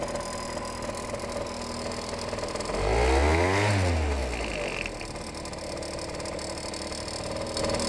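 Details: Suzuki SJ50QT scooter idling: light regular tick about three per second on the belt side that fades with revs; cause unknown.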